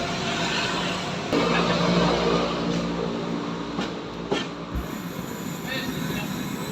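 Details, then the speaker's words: Polytron PAS 79 active speaker opened for testing: music sounds rough and gritty with crackling hiss from one side only; other side normal per owner. Cause found to be a fatigued output transistor in one amplifier channel, later replaced. "Dengan kondisi berderak, saya akan mencoba mengujinya setelah membukanya seperti ini."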